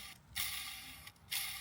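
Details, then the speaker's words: Audi S1 with gearbox removed, clutch release bearing turned by hand: two dry, gritty scraping passes from a worn, rough bearing needing replacement; flywheel also has play. "Right guys, here we have it. So the gearbox is out. You can hear the bearing."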